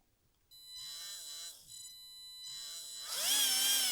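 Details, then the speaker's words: Tamiya Hornet RC car's 540 brushed motor runs normally with a clean high whine rising and falling with throttle and no vibration, unlike the cooked, overheated Sport Tuned 380 that felt rough. "there's no vibration at all. Like there's when you run that it's whereas this felt horrible"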